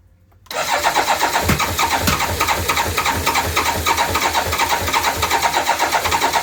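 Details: BMW K1200LT motorcycle during no-start testing of components: quick, even starter cranking at about four beats a second goes on and on, but the engine never catches; cause not confirmed.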